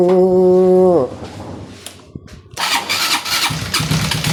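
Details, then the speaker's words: Honda CBR150 that is noisy and hard to start: a long labored crank winds down and stops, then the engine catches rough and noisy. The exhaust camshaft turns very stiffly in its holder, to be lapped with grinding compound. "Yung exhaust mga bro ayan oh napakakunat niyang ikutin yan oh."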